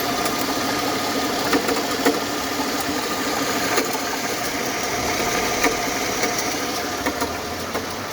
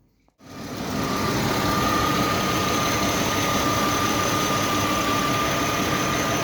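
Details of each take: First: Mercedes W220, M112 E32 engine, 372,900 km, idle: light fairly even tapping about three times a second from belt-driven end; water pump had play and slight leaks, alternator bearings and water pump replaced, knock gone. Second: Mercedes W220 M112 E32, 372,900 km, after replacing alternator bearings and water pump to cure a knock: engine picks up into a steady, even idle with a faint constant high tone and no knock; healthy idle.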